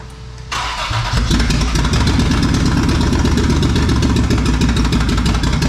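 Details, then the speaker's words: Toyota 4Runner 3VZ-E after repairs for no compression on two cylinders: catches after a few cranks, then a loud lumpy lope with missing beats; dead miss on two cylinders from crossed spark plug leads, number four among them. "well it was running but it sounded like it had a dead Miss and got to looking and reason had a dead Miss actually missed on two cylinders"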